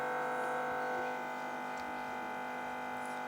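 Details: TV speaker giving a steady buzzy hum with many stacked tones once a T2 set-top receiver is connected; persists even with sound muted; ground loop hum, fixed with a separate low-resistance cable in place of the video cable.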